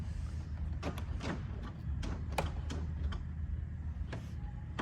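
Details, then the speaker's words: 1997 Toyota Chaser Tourer V JZX100, 1JZ-GTE automatic, 65,665 miles; on unlock, sharp clicks and short buzzing clunks over a low hum; one door lock actuator suspected bad, not confirmed. "It sounds like there's a door lock actuator that might be bad. Let's find out. Hit the unlock."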